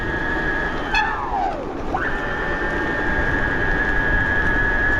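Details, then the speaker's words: 72V BBS02 mid-drive on Phaserunner after rotor magnets apparently sorted, set to sensor start/sensorless run, reaching 30 in first gear: steady high whine dips and climbs through a gear change, smooth with no grinding; running normally. "it sounds pretty good now we're going 30 in first gear"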